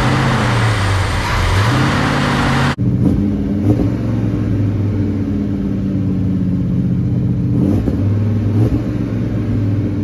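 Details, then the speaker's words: Freshly built Mopar big block V8 in a 1967 Dodge Coronet 500 convertible, after fixing valves not closing fully: deep even rumble as it revs and settles, no ticking, knocking or exhaust puffing; running cleanly. "foreign sounds good though runs nice"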